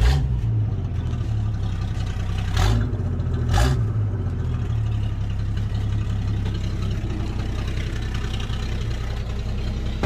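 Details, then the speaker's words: Toyota Land Cruiser FJ60 that lived at the beach, project, first start in low range: steady, even low rumble with a smooth firing rhythm and a couple of brief clicks; sounds healthy. "and it does start and it sounds healthy too"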